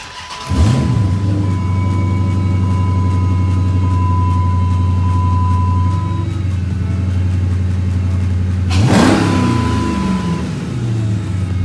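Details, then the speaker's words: 2006 Dodge Charger SRT8 6.1L HEMI V8, first start after replacing spark plugs (gap 0.05), the first plug change in this ownership. Deep, even rumble with smooth rev rise and fall and no misfire; runs noticeably better. "Seems to be running like quite a bit better."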